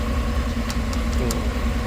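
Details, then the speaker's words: 2008 GMC Tahoe idling after a no-crank, no-start, no-communication fault was fixed by disconnecting the shorted ABS control module under the driver side; steady, even low rumble with no knocks, misses or surging. Normal idle. "इसको मैंने disconnect किया तो जैसे इसको disconnect किया system पूरा सही हो गया सब सिस्टम ने काम चालू कर दिया क्लास्टर भी न हो गया गाड़ी स्टार्ट भी हो गया"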